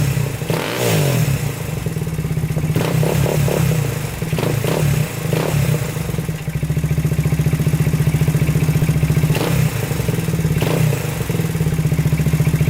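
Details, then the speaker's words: 2000 Honda 400EX quad engine idling with throttle blips after a new battery, uneven with a loose internal clatter, then shuts off; crank had locked up after a ride; owner suspects overheating and piston seizure. "yep there it goes just shut off right there um so i think something's going on internally"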